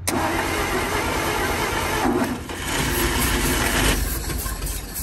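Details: 1947/1949 International 1-ton flatbed truck, sat about 50–53 years, on used plug wires, fed gas and starting fluid: catches, runs ragged a couple of seconds, sags, picks up, then stalls; weak ignition coil won't keep it running.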